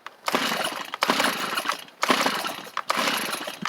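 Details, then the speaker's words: Free Stihl chainsaw: four rough pull-start bursts about a second apart, each sputtering briefly without catching; hit once but won't run, owner suspects flooded; hard starting. "give it a pull or two does not seem to want to go y'all heard it hit that one time and I'm wondering if the die wonder if it's just flooded"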